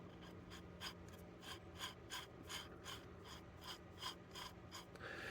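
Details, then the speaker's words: OS FS 120 Surpass glow engine turned by hand after freeing wrist pin, during disassembly: gritty, clicking rasp about three times a second; owner unsure whether bearing noise, front and rear bearings to be inspected and replaced. "And to me, I would figure any kind of sound like that probably is not a good thing. Whether that's a bearing noise or something else, I don't know."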